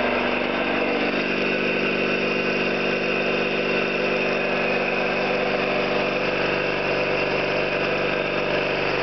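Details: Orlík 2 JSK 75-2 compressor, one of first runs after owner's own overhaul (valves, seals), motor temporarily started in star due to house breaker; even motor hum with steady pulse about two a second, no knocking, healthy.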